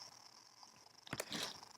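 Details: Foscam FI9821W wireless IP camera speaker crackling: quiet background with scattered irregular crackles and bursts of static, present only in live video mode and stopping when live video is switched off; swapping the antenna didn't help, cause unknown.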